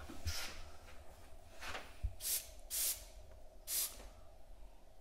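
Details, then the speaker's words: Holden drag car with a standard LS1 throttle body, pressure-tested at about 10 psi with the turbo blocked off and the idle air control valve sealed: short, sharp bursts of hiss as boost leaks around the throttle shaft. "There's a bit coming out around the shaft by the looks of it on the throttle body. I can hear it hissing."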